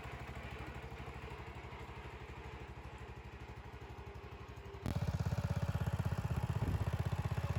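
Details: 1975 Bolens G14 tractor after fixing a drive belt that was thrown at engine shutdown: engine fires with an even, steady beat, then revs up cleanly with no knocks, slipping or belt squeal; belts stay on after repeated tests, healthy.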